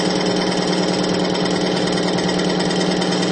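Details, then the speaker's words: Extreme-pressure friction test of diesel fuel with Bitron treatment, load raised to about 200-250 lb, where plain diesel failed near 50 lb: steady, even hum growing quieter with no scraping or seizing; smooth running under load. "we're up that now to about 200 lb 250 lb of weight you can hear it's actually getting quieter and quieter the longer we go in this test"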